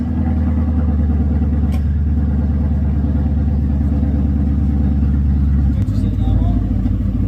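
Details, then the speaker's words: Car with Flowmaster X-pipe and 2.5-inch exhaust all the way back, mufflers cut off after being crushed: loud, deep, booming idle swelling on throttle blips, open unmuffled exhaust. "It's already got the Flowmaster X pipe in it. 2.5-inch exhaust all the way back. I cut them off."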